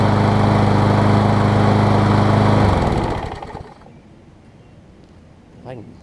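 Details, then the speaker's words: MTD push mower engine on a Troy Bilt deck after a blade strike (sheared flywheel key and bent crankshaft found) runs with a steady, smooth low hum, then winds down; vibration now barely noticeable, about 90–95% of healthy. "It runs. You can barely tell it's vibrating anymore. It was really bad, and now it's probably 90 to 95% there, which is totally acceptable for a mower of this condition and price range."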